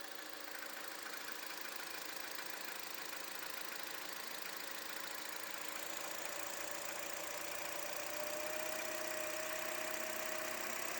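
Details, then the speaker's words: Toyota Wish after replacing the alternator pulley that caused the engine noise: a smooth, even idle with a steady light hum and no squeal or knock. The noise is gone. "ó sem o barulho já ó só o barulho normal do motor só para efeitos didático para vocês trocou a polia acabou o barulho agora o motor tá silencioso normal o barulho do motor"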